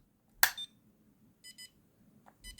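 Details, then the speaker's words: Homemade fixed-wing FPV drone motion controller armed but still locked (for launch mode): a click, then short high double beeps about once a second in a quiet room as a reminder; unlocking stops the alarm. "you can hear that beeping tone there. That's reminding me, or reminding you, that the device is armed, but it's still locked."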